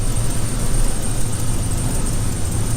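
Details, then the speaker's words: 2016 Dodge Grand Caravan at idle with a massive misfire and P0300 code: deep, uneven, lumpy stumbling rumble under heavy exhaust roar; a coil tester shows one ignition coil out. There is also an exhaust manifold donut gasket leak. "so we need to do that and it's got a massive misfire so let uh let me show you"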